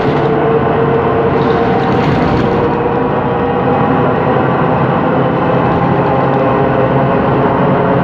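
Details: 2013 MAN Lion's City city bus, MAN E2876 LUH03 CNG turbo engine, ZF Ecolife 6AP1400B 6-speed automatic; loud steady drive noise with a faint mid-range tone under way from a faulty, noisy differential whine.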